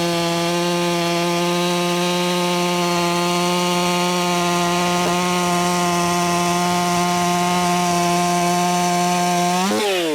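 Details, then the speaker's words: Ported, muffler-modded Echo 4910 chainsaw tuned to 13,500 RPM: steady high scream with a slight burbly, spitting and sputtering edge, then drops off; sounds too rich. "Sounds like it's spitting and sputtering. It sounds too rich to me. Sounds far too rich to me."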